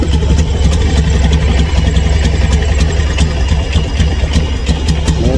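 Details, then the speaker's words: Honda Scoopy scooter with a stumbling (brebet) complaint despite a new fuel pump: engine idles with a deep, uneven beat and faint ticks, sounding weak, noisy and unwilling to rev; hesitation. "kayak enggak kuat ya, Teman-teman. Dengar enggak?"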